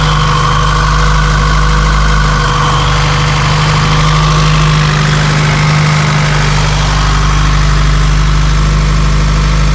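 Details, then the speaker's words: Honda CRX with LSVTEC engine, heard from outside at idle after the giant DC Sports canister was replaced with a Borla muffler: a deep, even exhaust burble with no rasp or drone, not as loud as before. A healthy exhaust. "Oh, it sounds so much better on the outside for sure."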